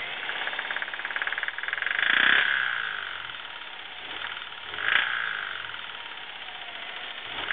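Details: 2009 Subaru WRX with 12,300 km: steady knocking about four a second over the running engine, growing with revs; dealer diagnosed rod knock, new engine needed.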